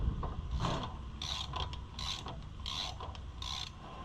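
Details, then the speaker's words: 2016 Ford Super Duty front wheel bearing hub, removed after the truck sat over a year, spun by hand: rough ratcheting clickety clicks in bursts; worn wheel bearing, judged junk. "I hear that clickety clicking in there too. That. Yeah, I'd say that's junk."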